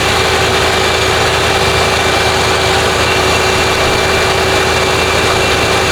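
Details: Lincoln Town Car (OBD1) after replacing the idle air control valve for high idle, no code: steady even idle with some hiss in the bay, no surging or hunting; now about 800 rpm versus roughly 2000 before, normal.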